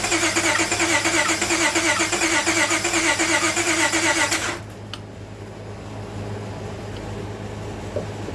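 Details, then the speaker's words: Car towed in with a crank no-start, run on a separate fuel source with fuel treatment cleaner: fast even cranking for about four seconds, then dies; won't catch, tank fuel found contaminated. "wow, there's our problem. I'm glad I found this real quick. Contaminated fuel."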